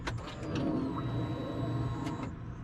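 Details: 2020 Polaris RZR 1000 XP after an All Balls fuel pump replacement, key on: short, steady electric hum as the fuel pump primes smoothly; healthy.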